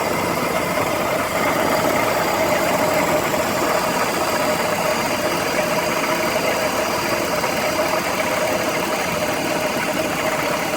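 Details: BMW E46 330i ZHP inline-six idling cold: fast busy metallic rattle over the steady hum; tensioner and deflection pulleys, DISA replaced and VANOS rebuilt with anti-rattle kit, cause still unknown.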